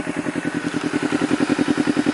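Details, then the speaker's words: Honda CBR250RR twin, warmed up after long running, after fixing faulty O2 sensor with an O2 manipulator and throttle error that caused unstable idle and misfiring: crisp, regular exhaust pulses about ten per second, no backfire popping even when revved; smooth steady idle. "tadi nyalainnya cukup lama jadi dia idealnya sudah mulai normal dp4 dan sekarang di geber pun sudah tidak mengalami knalpot nembak-nembak dor Hai nah nah Oke jadi enggak ada knalpot nembak-nembak sama sekali"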